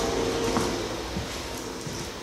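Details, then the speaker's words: Cheap bathroom exhaust fan, heard from the next room. A steady, airy rushing hum that never changes pitch: the fan is running normally, just loud. "you can already hear it I'm not even in the bathroom you can hear it that's a loud fan"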